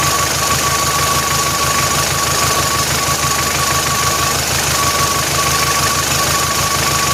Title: MOTOR COM BARULHO ESTRANHO